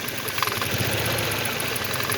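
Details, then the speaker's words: 2006 Ford Focus, hard starting, new plug cables and coil pack: shaky stumbling idle that smooths when the coil pack connector is pushed in and returns when released; misfire from broken wire at connector. "At makikita nyo dyan, nagsishaking yan, pero pag itulak ko siya dito, itulak ko yung connector, like, kita nyo, tumitining yung tunog, walang shaking. Ngayon pag bibitawan ko yan, shaking"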